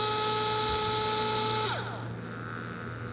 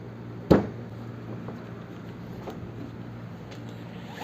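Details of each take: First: DeWalt DCF682N1 gyroscopic cordless screwdriver, on/off trigger with speed set by tilting the tool: small motor whines at steady high pitch, then pitch slides down as speed drops, smooth with no grinding; healthy motor. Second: DeWalt DCF682N1 gyroscopic screwdriver driving a 4 cm screw into solid wood without a pilot hole: one sharp knock, then motor whines about 2.5 seconds with pitch sagging as the screw bites; driver bogging under heavy load.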